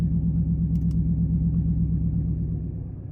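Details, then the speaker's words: Dodge Charger Pursuit HEMI V8 with electric exhaust cutouts open, idling at 14°F outside, heard from inside the car; deep, even burble with steady regular pulses, healthy. "And this is what it sounds like at idle inside the car."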